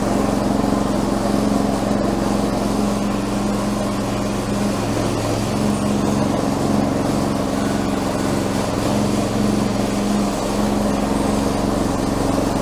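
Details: Stock 212 Predator engine newly fitted to old tractor, fresh 10W30 oil and gas, in neutral, first start; steady even drone at fixed speed, no misses, knocks or hunting; normal running.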